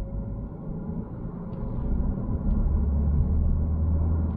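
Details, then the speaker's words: Ford Focus diesel with six-speed manual, on the road: deep, even diesel rumble builds steadily pulling through the gears with good punch, no knocks or misses; smooth clutch and gearbox, healthy engine. "yeah we've got a nice punch from that diesel six-speed gearbox everything seems smooth as you like clutch and gearbox lovely absolutely lovely no problems with that at all"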